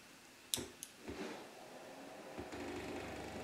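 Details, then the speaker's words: Atari 800 XL after repair of a 5V-GND mainboard short by replacing all RAM chips: sharp clicks at power-up, then a buzzy, pulsing rattle as it polls the bus devices for a floppy; normal boot bus polling noise. "man hört am anfang dieses dieses scheppernde geräusch und wenn der atari die geräte die uns im bus angeschlossen sind wenn diese abgefragt werden ob die floppy da ist"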